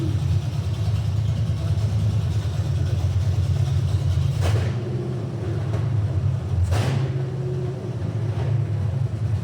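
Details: 1972 Mustang convertible, 351 Cleveland V8 with Edelbrock 4-barrel intake and new headers, no exhaust fitted: deep, loud open-header rumble at idle, then two sharp blips climbing and dropping cleanly; healthy.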